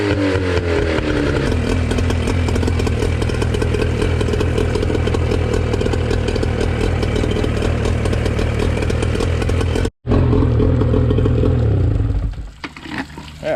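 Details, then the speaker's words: Used outboard restarted after repair with good water flow, revved and shifted to forward: steady even exhaust beat at fast idle, no misses or knocks; normal running. "fires right back up good water just give us some RPMs and [Music] forward good water still all she running good"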